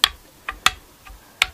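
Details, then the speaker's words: Chinese Strat-style guitar after de-fretting, re-radiusing and re-fretting: a fret rocker on the new frets gives four sharp, dry clicks in under two seconds, showing uneven fret heights, with one fret lower than the rest. "Now, when there's unevenness, you'll hear a clicking noise."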